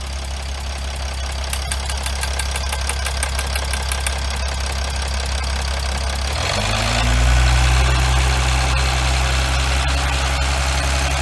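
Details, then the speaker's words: Chrysler 300C 3.0 V6 diesel (Mercedes W211 engine) at steady idle: regular sharp ticking about three per second from an injector completely unseated and leaking, visibly moving. "Une fois que vous avez ce bruit là, et également, je sais pas si on peut voir. Voilà, là on voit bien, on voit que l'injecteur est complètement décollé."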